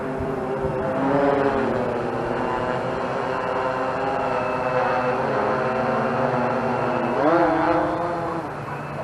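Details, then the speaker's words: Bayang Toys X16GPS camera drone flying line of sight outdoors, first flight in about two years: steady mid-pitched buzzing hum from the big props that swells briefly as throttle changes; normal propeller hum in flight. "You can hear them big old props humming."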